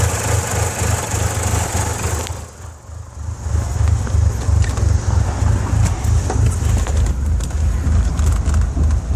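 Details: 4G64 engine converted to 4G63 at idle: low idle pulses unevenly and the engine note sags then recovers; rough idle.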